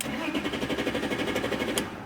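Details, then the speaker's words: BMW E46 with dead instrument cluster and no dash lights (only ABS light on): steady, even starter cranking with compression pulses but it never fires. Cluster was later repaired and powers up; cause of the no-start suspected, not confirmed. "but I've been cracking and it doesn't even start"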